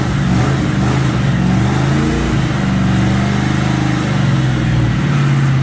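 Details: Fox Body Mustang after replacing a torn O-ring that caused puking: engine runs steadily with a few gentle rises and dips in speed, no knocks or misses heard; runs normally.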